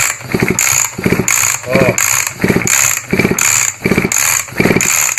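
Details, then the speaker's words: Turtle Racing version 2 pull start just installed on an RC engine with a 31.5 top-end rebuild kit: about seven even pulls in five seconds, smooth ratcheting buzz turning over cleanly with no binding; normal pull-start cranking. "Let's give her a pull start. See how she turns over."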